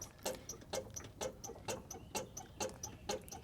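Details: 1998 Chevrolet Cheyenne K2500 4WD, driver's-side front wheel filmed while a helper bounces the front bumper: short sharp squeaks about twice a second in step with the bounce, from a failed front shock absorber upper mount bushing; front suspension squeak.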